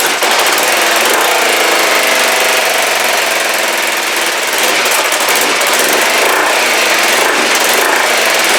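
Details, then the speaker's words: Kawasaki GPZ500S twin on brand-new fuel: uneven stumbling beat with irregular popping over raspy exhaust, never smooth idle, vapor from back of carbs; rough running, cause unclear, timing suggested. "okay it's not happy but it started um I don't know why and again someone suggested that this could be timing"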